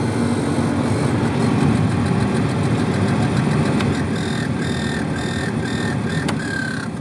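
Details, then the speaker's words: 2001 car heater/AC blower: a steady fan whoosh with a light, rapid flicking tick like a card in bicycle spokes, caused by leaves or debris in the blower motor or by a failing motor. "this noise is either due to leaves or some other debris getting stuck in a blower motor or the blower motors going bad"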